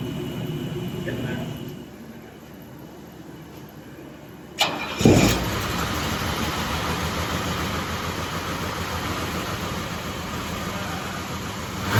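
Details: 1984 Mercedes 500SL European market barn find, stored 20-30+ years, new fuel pump and filter fitted: short crank catches, then steady slightly uneven lumpy idle; runs after long storage.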